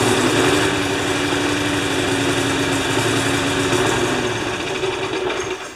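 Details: Rough running on a Briggs & Stratton single-cylinder mower engine with a Pulsa Prime carburettor. It chugs at a fast, uneven beat with a wavering pitch and does not hold a clean governed speed.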